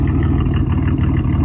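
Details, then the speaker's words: 2006 Pontiac Grand Prix just swapped from a 3800 to a supercharged 3800 (GTP), idling rough with smoke; lumpy uneven low rumble with irregular dips, misfiring. Check engine light. Cause unconfirmed. "made it back home we got the tong but y'all see she running rough as [ __ ] all that smoke that's what we going through right now"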